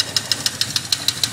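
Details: 1979 Yamaha XS1100 Special, about 11,000 original miles, long sat: sharp metallic clack about six per second at idle, fades at high revs; owner doubts rod knock, suspects valve or dead cylinder; cause unknown.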